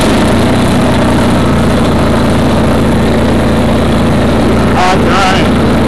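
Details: Craftsman GT6000 mower on its first mow after the deck-lift eyelet bolt was welded: a loud, steady low drone with an even beat and no misses or rattles, running smoothly; the foot switch is noted as bad.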